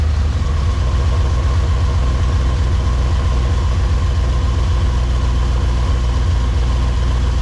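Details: Supercharged Pontiac GTO V8 on first start with newly tuned ECU: deep, loud, rowdy lumpy burble holding steady at idle, no knocks or rattles; normal idle.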